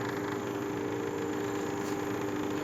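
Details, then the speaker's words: Inverter split air conditioner outdoor unit after fitting a universal control board, during gradual liquid refrigerant charging: fan starts, steady even hum with slight compressor rattle; compressor running normally, drawing about 0.6 A. "y recién se acaba de escuchar encendió el forzador de la unidad exterior y se escucha un leve zumbido y un traqueteo del compresor"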